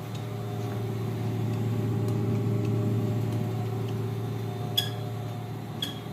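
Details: Lavamac washing machine that gave a loud spin noise (drum bearing suspected), belt reattached to main drum, 220 V supply: steady low hum, even drum rotation, few light clicks, no grinding or rumble; normal spin at normal speed.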